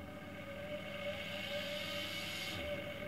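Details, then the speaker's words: 220 V induction motor on first-run open-loop software with no feedback, speed set by a pot: steady whine with a rough, uneven stepping buzz as speed climbs; rough running from open-loop drive. "and as I move the pot it steps faster and faster"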